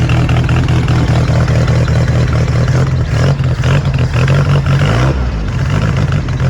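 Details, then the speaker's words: 1966 VW Beetle air-cooled flat-four with new exhaust, first start in a few weeks, out of gear, cold wet day: even throaty putter at steady idle, no ticking or hissing air leaks; normal idle. "Well, I'm quite pleased for how the exhaust sounds on this and the lack of air leaks sound on that."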